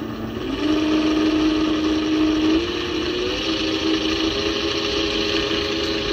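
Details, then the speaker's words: 400W three-phase alternator run as a motor at about 69 V: steady high whirring hum with rough gritty rasp from loud bearings; owner plans to run it for break-in, else open it up. "but those bearings sound pretty bad i'm gonna let it run for like 20 minutes just to see if i can uh make it quieter"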